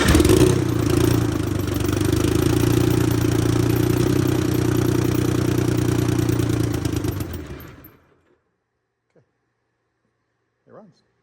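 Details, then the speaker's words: Detroit Diesel 6V92TA replacement engine for MCI 9 bus, first start after blower and governor repairs; heavy two-stroke diesel bark steady about seven seconds then fades out, possibly fuel starvation with pump off; brief startup smoke cleared; normal running. "runs okay that's enough for us to know that it's going to run it sounds good it smoked a little bit at startup but it cleared up almost instantly"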